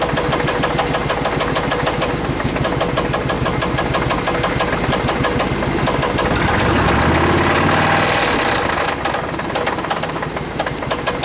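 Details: Suburban V8 with new plugs, wires, cap, rotor and brake booster and a cleaned EGR valve: steady light tapping about three per second with a rev; knock and squeak, later traced to a rocker arm.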